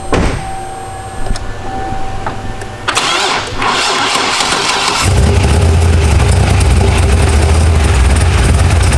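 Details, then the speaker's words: Engine cranks and catches, then a rapid light clatter rides on the cold idle before settling; the noise appears right at first start and then fades, and the owner suspects a sticking valve guide, unconfirmed. "like it does it right when we first start it and then it kind of goes away and that's what's making me think that it was like a sticking guide because I've heard that noise before and it's a pretty distinct sound"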